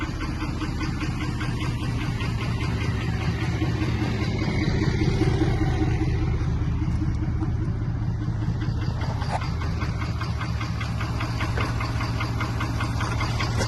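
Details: Ford 6.7 Power Stroke diesel just back from the shop, at steady idle: a sharp tick of about two and a half per second over the clatter, attributed to a bad injector.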